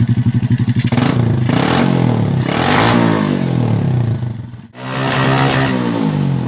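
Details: Honda Supra X125/Kharisma small single, owner reports low power, after adjusting a timing mark position: cranks over, revs climb and drop cleanly a few times with even exhaust note; no misfire or clatter, normal.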